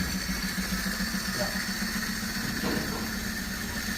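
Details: 2013 Chevrolet Spark 1.2, code P0352 (coil B circuit), coil already replaced: uneven, stumbling idle with a lumpy beat and two cylinders dropping out; the misfire was traced to a wiring fault in the coil circuit, not the coil.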